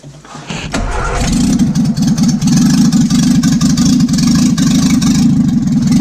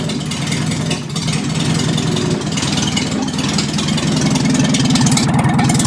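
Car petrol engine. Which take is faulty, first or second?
second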